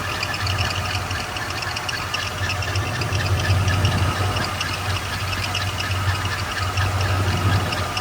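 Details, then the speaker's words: 1995 Camaro Z28 after AC delete with compressor bypass pulley and belt: running engine with a steady thin whine over the idle; new pulley making noise, possibly crooked or loose. "I went ahead and put the belt back on and I started to hit the sound. The new pulley's making some noises. Might be crooked."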